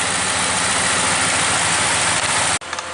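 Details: 2015 Ram 1500 at idle after repairing A/C compressor clutch connector (clutch itself fine): strong steady fan air rush over smooth even idle until it cuts off; vent air about 50 degrees, A/C working normally.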